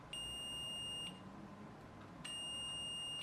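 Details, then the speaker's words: BL 2.4GHz RC helicopter 9004G transmitter opened, multimeter on the speed button set to buzz on continuity: two steady high beeps, one per press. Button is wired in and working. "I'm gonna get my meter right you can't actually see the meter I've just got it set to buzz on continuity"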